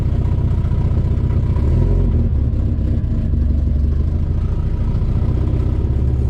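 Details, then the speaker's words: Volvo B20 engine started after years of sitting (and decades before that), on fresh fuel with O-rings replaced: catches into a lumpy, uneven idle, not the healthiest but running; exhaust fairly clear, slight smoke. Rough running. "woohoo not the healthiest of engines but it is running"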